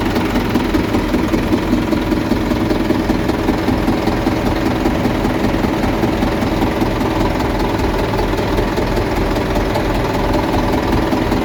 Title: 600 rpm in N, knocking sound more pronounced at the front of engine.